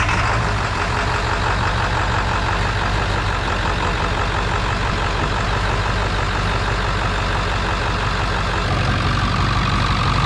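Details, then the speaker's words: 1999 Ford F350 7.3 turbo diesel idling after an injector was replaced and the engine reassembled: deep, steady clatter with no skipping, no longer missing, running on all cylinders. "Sounds good. Definitely don't sound like it's missing anymore."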